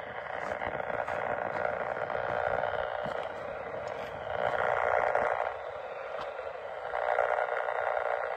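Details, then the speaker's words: Power-line noise hunt with a trimmed 10 m whip; strong on VHF, little at 430 MHz, source narrowed to one pole and checked with an ultrasonic detector. Rasping midrange buzz swelling about four pulses a second. Arcing from a faulty pole component. "So, we're going to switch to the ultrasonic and we're going to take a look at each one of the components on this pole cuz there is something on this pole that's not behaving."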